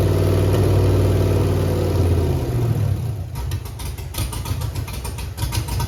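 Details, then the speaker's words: Chevrolet Camaro with Holley EFI-controlled 5.3 LS V8 idling lumpy and stumbling, plug wires on: cylinders 3, 5, 7 have no spark, only 1 and evens fire; dead-cylinder misfire. "number one has fire number uh three does not have fire number five does not have fire number seven does not have fire"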